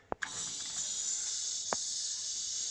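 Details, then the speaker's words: Home heating system with boiler that stopped working after radiators were bled: a click as the bleed key turns, then a steady sharp hiss of trapped air venting from a radiator; pump wattage dips as air passes, then recovers. "see Air's hit that pump look at the what's going down but as the air leaves the wats will go back up"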